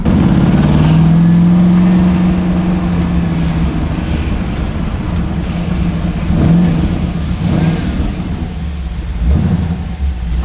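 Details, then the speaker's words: LS V8-swapped Nissan Z32 while driving: deep, even V8 burble rising and falling smoothly with the throttle, strong power at any rpm, no knocks, ticks or misfires; engine sounds healthy. "like the V8 is sick because it's just like you always have power like whatever RPM you're at like you'll get pushed back in your seat"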